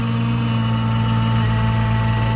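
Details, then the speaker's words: Chevy Blazer cold start in freezing snow after sitting about a month, batteries still good: cold idle carries a steady droning hum with a thin whistle above it, said to be the secondary air injection pump. "it started man you can hear the secondary air injection system whistle and make noise that pump was shut off in a"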